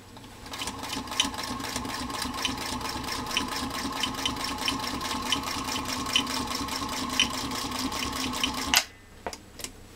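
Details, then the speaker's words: Singer Featherweight 221 motor revived after being oiled with the wrong lubricant, run without load; a smooth even hum with light regular ticking about five a second, no rubbing or labouring, and cool to the touch, so healthy. "it runs beautifully again and I can tell you reaching out and touching the motor it is cool to the touch and does not have any of the issues that it had when it came to the workshop"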